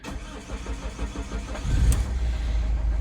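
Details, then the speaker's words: Opel Zafira B 1.9 diesel, 400,000 on engine, won't pull below 2000 rpm; restarted with third injector unplugged, cranks, catches and runs the same lumpy, shaking idle, pointing to a faulty third injector. "машина заводиться і так само працює тобто проблема десь мабуть в форсунці"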